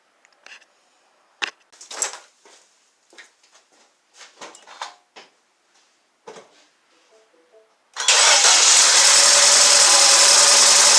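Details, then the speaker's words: 2012 Mini Cooper with P0304/P0300 codes: cranks and fires with a hissy, uneven rhythm that sags once, the drop-off from low compression in cylinder number four. "that sound that you heard when the vehicle caught itself the startup so while it was rotating you heard a drop off it was like judging and then that that sound of of falling off was the drop in pressure from number four"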